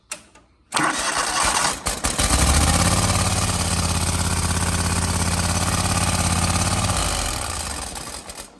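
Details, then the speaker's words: John Deere 318 lawn tractor repowered with 25hp Kohler, after fitting an add-on starter relay kit for a clicking-starter fault and fixing a poor battery connection: loud click, short crank, then engine catches and runs evenly before shutdown; starts cleanly. "Is it a battery? I had the battery off earlier. It's a battery, so. Now it'll go."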